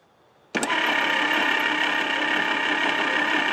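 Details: Lark engine freed after seizing from rusted bores, spark plugs removed and sprayed with lubricant: starter spins it in a quick, even whir with no compression puffs, circulating oil.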